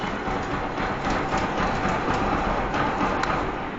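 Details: Bajaj Pulsar (Rouser) 135 LS idling poorly: fast uneven clatter about four per second from a severely loose Rolon bush timing chain hitting the upper camshaft sprocket; rocker arms and tappet clearances (0.05 intake, 0.10 exhaust mm) fine.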